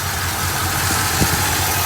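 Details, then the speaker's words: 1966 Ford Galaxie 7-litre V8 with a flickering light at idle, suspected voltage issue, exhaust leak, failing smog pump and intake vacuum leak. Low, lumpy, uneven idle with occasional stumble, running rough without stalling. Cause not confirmed. "running rough but running don't stall on me"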